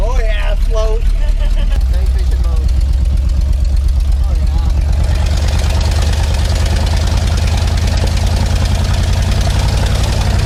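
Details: 1979 Ford F350 one-ton V8 running after about 15 years parked in a field, with the carburetor rebuilt, oil pressure, brakes and power steering working. Deep, steady V8 idle with an even beat, no knocks or misses; good enough for now.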